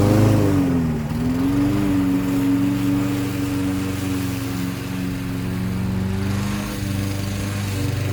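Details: Toro 6.75 HP 149cc self-propelled mower with a Kohler engine, repaired after bad gas (fuel shutoff added). Strong, steady drone dips briefly as the blade bites into the weeds, then recovers cleanly; normal running under load.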